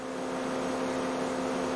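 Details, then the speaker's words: 2008 Mercedes C180 Kompressor W204, cooling fan starts seconds after startup and runs constantly: loud steady rushing air with hum over idle; fault code for refrigerant pressure sensor, sensor to be replaced. "refrigerant pressure sensor and also the fan is running really loud obviously"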